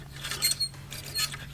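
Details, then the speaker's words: Single-turbo Ford 5.4, new remanufactured alternator that failed after one drive. Thin, scratchy, uneven ticking and whirring from the front of the engine; voltage read 12 V, fuel pressure dropped, only 5 psi boost. Failing alternator. "do have a couple of problems with the car they're not huge issues but it did decide to kill the alternator on that drive so it's a new remanufactured O'Reilly o'reilly alternator and let you guys listen to this definitely not supposed to sound like that"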